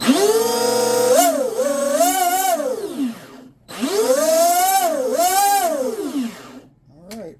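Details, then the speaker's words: Twin brushless RC boat on 6S with new TFL Zonda motor mount and short flex cable drive lines, first spool-up at high RPM: clean whine rising and falling twice, no cable whip, slapping or rattle, little sling; drive line normal at high speed. "I would say I would actually say it sounds pretty damn good, especially being the first time it's ever been spooled up. So, there's not a whole lot of sling out here."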